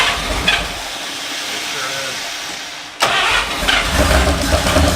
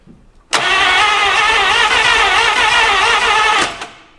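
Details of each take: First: 1951/52 Buick Super straight-eight, abandoned for 40+ years, restarted after the fuel system was cleaned: catches about three seconds in and settles into a steady, even idle on all eight cylinders, with no misses or knocks. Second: 1951/52 Buick Super abandoned for 40+ years, cranking with suspected rust in the cylinders: three seconds of fast, even cranking with hardly any compression pulse and no firing; only 30 to 60 psi in most cylinders, too low to run.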